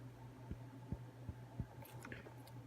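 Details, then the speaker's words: Arruissi T210XT carbon-fibre FPV drone frame after crashes: interlocking arms have about 0.5–1 mm play, giving sharp dry clicks about every half second over a low hum as the arms are flexed. Loose arm joint clicking. "Bir süre sonra kolların arasında boşluk oluşmaya başladı. Belki göremezsiniz. Kamerada görebileceğini sanmıyorum. Ama ben hissedebiliyorum ve ufak bir çıt çıt ses geliyor."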